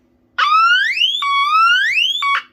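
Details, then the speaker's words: Smoke alarm sounding after battery swap (earlier battery gave an altered pitch): loud piercing upward-sweeping tone repeating in about one-second cycles; alarm sounds properly. "yeah there you go that's what it sounds like that is the reason why it's this high and because of how rare it is and the sound it makes it pretty much destroyed the entirety of my collection"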